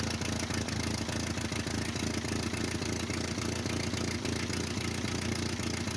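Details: 1949 Ford 8N flathead tractor, auction buy, first start with unknown carburetor settings (carb possibly rebuilt), timing and plug gap unchecked: steady mid-pitched idle with loose, slightly uneven clatter, no stalling; runs acceptably, possible exhaust leak at known leaking flange.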